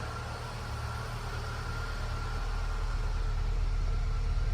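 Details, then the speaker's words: 2008 Ford EcoSport, previously no-start (DTCs B1681, U2199, U2510), idling after repair with a steady low hum and even pulse, no misses; dirty, neglected engine running well, warning light off, low on fuel. "Motor bastante sucio por todos lados, pero no se escucha ni siquiera mal. Está parejito el motor. Está un poco abandonado, pero el motor está trabajando bien."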